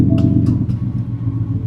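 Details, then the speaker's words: 2019 Ford F-150 5.0 L V8, 87,000 miles, cylinder 4 dead misfire despite new coil and spark plug, put in gear: loud uneven lumpy rumble with regular stumble; dead cylinder, injector giving no fuel. "truck's got 87,000 mes on it it's got a dead misfire if I start this thing up it's going to be crazy loud okay and if I put it in gear"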